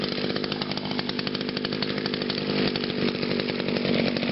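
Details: Echo SRM 2400 SV string trimmer after cold start on choke: high, buzzy two-stroke note running fast and even with no misses or sputter; healthy engine.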